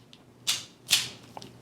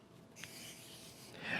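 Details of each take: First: KastKing Valiant Eagle BFS baitcasting reel, new out of the box: crisp, bright paired clicks on each engage, a clean double click that differs from the Zephyr reel's engage sound. Normal engage click. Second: New KastKing Valiant Eagle BFS reel, 5.5 kg drag with no drag clicker, slipping: a short, dry scraping rasp with no clicks. The owner believes the carbon disc drag washers are dry, not lubricated, which causes this rubbing sound.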